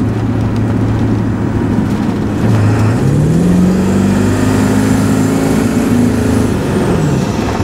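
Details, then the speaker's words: Ford F350 Super Duty 7.3L Power Stroke diesel at hard throttle with excess water-methanol from two 650 ml/min nozzles. Revs climb with a harsh clattery edge as the over-rich spray quenches combustion, causing knock. "see it made a clattery noise I hope you can hear that I didn't want to push it too far cuz I don't want to blow blow stuff up"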